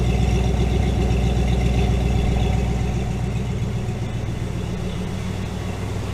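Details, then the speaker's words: AMC 401 V8 in a Jeep YJ after an oil pan leak repair and starter heat-soak fix, just started, with oil pressure at 60 and fresh header paint smoking: steady, even low rumble; normal idle. "oil pressure's sent to 60 but it'll probably drop down once uh once it gets warmed up so you guys can see the uh smoke coming off the head i painted them pretty good so it's going to be a little bit before all that freaking turns off 60 and she sounds good"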